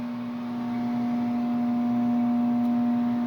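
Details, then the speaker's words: Furnace heater that quit working: steady low electrical hum at one fixed pitch, apparently from the motor; owner unsure if the motor is bad or not getting enough power, flame not lighting, control light flashing four times. "I if the motor's bad or if it's just not getting enough power but I think that's what's going on that's the noise I was hearing last night"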